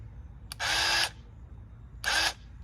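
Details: Bauer 20V airless paint sprayer (Harbor Freight) after purging air from the intake: two half-second bursts of hard, steady spray hiss with a faint motor tone; primed pump delivering paint properly, normal spraying.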